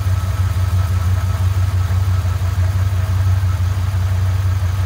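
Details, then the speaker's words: Dodge Dakota 5.9 V8 turbo project with new downpipe, intercooler and full exhaust, belt fitted, stock injectors and untuned: deep, even idle burble with no knocks or rattles; healthy idle. "i'll go ahead and give it a start up for you guys so you can hear it now with the exhaust system all hooked up"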